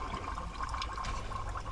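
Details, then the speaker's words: 1977 Dodge motor home long left sitting, engine off: steady liquid gurgling and trickling as the stuck carburetor float lets fuel flood into the engine. "listen to that it is just gurgling the float is stuck and I don't have a hammer to hit it right now and it's just pumping gas right into the uh engine which is not a good thing"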